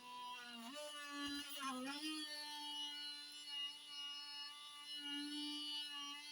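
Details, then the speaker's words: HP 15-cw131ur laptop cooling fan: a thin, steady whistle at one pitch with a brief early wobble over a quiet room. It is very loud, especially at power-on, and also in normal position. The fan is suspected to be dying or worn out. "очень сильно шумит вентилятор особенно при включении сейчас Давайте посмотрим Ну вот это ещё скажем так звук более-менее бывает очень сильный свист непонятно что ну то есть получается вентилятор или сдыхает или уже на грани"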